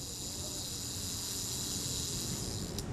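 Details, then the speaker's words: Kodak Retina IIC camera shutter speed gear train, cleaned ultrasonically and in naphtha, lubricated with graphite powder: fine even buzzing whir, runs smoothly without catches, sounds healthy before reassembly and speed testing. "sounds pretty good i think i can close that up and test the speeds"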